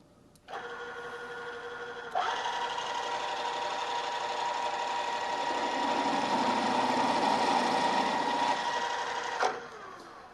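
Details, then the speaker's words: Drill press drilling toward a 1-inch hole by stepping up in size: harsh, fast buzzing chatter over the spindle hum as the bit deflects and jumps around the hole, from running too fast; lower speed cuts smoothly. "you could hear that noise it's called chattering and that's caused by the drill deflecting and jumping around the hole as it's uh coming in contact with the part this is usually indication that I'm running the drill a little bit too fast"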